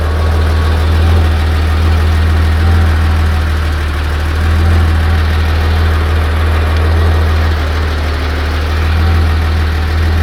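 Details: 1986 Porsche 911 3.2 L at hot idle: deep steady idle with a faint, uneven tapping about four times a second riding on it; abnormal engine noise, source not yet identified.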